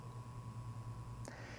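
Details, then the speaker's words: Intel Pentium budget PC with stock Intel box cooler: steady low droning hum throughout, the cooler fan's constant annoying background noise, likened to a brush cutter. "é o pulo box do nosso intel pentium isso é o que ocorreu box da intel tem a oferecer esse ruído chato ao fundo o tempo todo"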